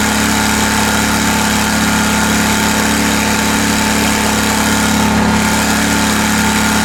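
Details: Kohler Command Pro 27hp lawn mower V-twin after head gasket repair, muffler baffle removed (possibly part of gasket failure): loud raspy perfectly steady open-exhaust drone, no misses or surges; normal running.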